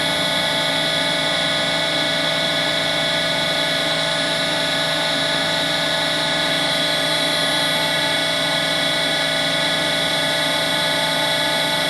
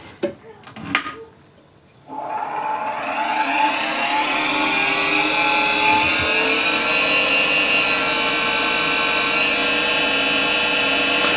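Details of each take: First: Harvey lathe spindle after new bearings were fitted, running at 2000 rpm; a steady, smooth high whir with no grinding; sound-meter readings lower than before the bearing change; normal spindle running. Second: New Harvey wood lathe with original spindle bearings at about 1600 RPM, before bearing replacement, measured about 64 average: steady, fairly loud high whine with several ringing tones, pointing to the spindle, possibly its bearings.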